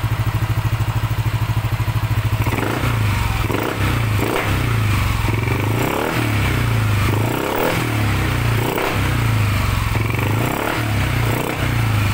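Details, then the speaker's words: Yamaha NMAX 155 with a remapped ECU, first fire after repairing a noisy-engine complaint, throttle body still open for testing. Steady, even idle with a few throttle blips and some nearby clatter. The idle sounds right. "ayan ayan naman Medyo Tama na yung idol basin siguro natin i-adjust ba yan napakaganda iga agad ang unit ay naka remap tama lang yung idol natin"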